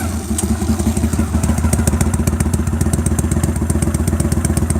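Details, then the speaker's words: At idle with the exhaust seam leak taped over: steady, even thumping with no chirp or tweet from the pipe; the tweeting leak sound is gone. "Okay, we have no tweeting sound. I'm going to pull the tape off of it."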